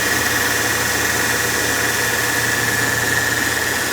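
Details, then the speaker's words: Mercedes E320 petrol engine after replacing the tensioner and idler pulley: smooth even idle with only a faint steady belt-drive whine, no more crackling from the tensioner; normal idle. "Time to start the car. I couldn't hear the crackling noise in the tensioner."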